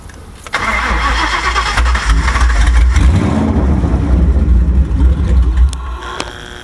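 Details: Ford Crown Victoria 4.6 DOHC, down a month, IAC, TPS, plugs, wires, coil packs replaced, run on the allegedly bad ECU; later found low compression: cranks, catches, then uneven surging run with ragged rev blips; poor running.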